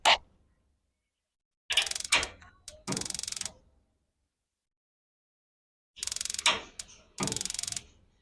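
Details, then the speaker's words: Instant gas geyser, mic held close: rapid crisp igniter ticking bursts plus a solid big clack as the gas plunger valve opens. Normal sparking and gas valve operation. "ये देखा आपने, एक बड़ी सी टक की भी आवाज आ रही है।"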